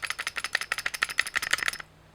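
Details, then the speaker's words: KWC Taurus PT24/7 airsoft pistol, plastic frame and metal slide, being shaken: sharp, high-pitched rattle that stops when held still; something loose inside. "that's not brilliant if we're honest like that is you hear that really high pitched rattling i think something bad happened"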